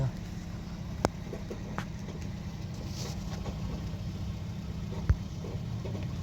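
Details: Toyota Corolla (2009–2014 generation) after replacing the faulty starter motor: low, steady idle hum with even firing and no knocks or misses, apart from a couple of stray clicks; engine runs smoothly, normal idle.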